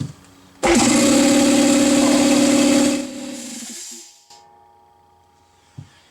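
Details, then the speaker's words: Husky air compressor with synthetic oil after break-in, custom air filter mount, belt retensioned after it sounded wrong from a loose belt: kicks on with strong, steady pumping hum, charges up and winds down smoothly, no leak hiss; normal. "up okay it's charging up I don't hear any uh leaks or anything like that"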